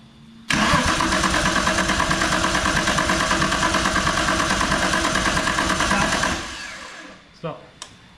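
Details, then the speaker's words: RB engine swapped into a VR Commodore drift car: steady starter cranking at about three turns a second for six seconds, never catching, then stops; cranks but injectors get no fuel. "stop give her another crank no fuel no no they're not getting fuel wonder why"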